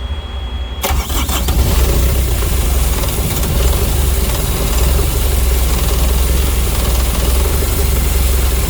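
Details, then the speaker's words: Carrier/Thermo King reefer unit diesel after running out of fuel, refuelling and priming: catches after a short crank, then settles into a steady, even low rumble that smooths out; running normally. "the unit's running it's smoothing out let's check it out those two are humming"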